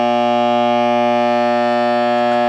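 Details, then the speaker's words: Tram D201A CB radio with 40-channel LED PLL, after replacing a dial bulb with a bright LED bulb, volume all the way down: loud, steady, low buzzing AC hum; hum caused by the new LED bulb, not a capacitor. "got a massive AC hum. I'm like, dang, must be a capper. I was like, well, I thought it was a recap, a while ago, years ago, but AC hum, you can hear it now, and that's with the volume all the way down."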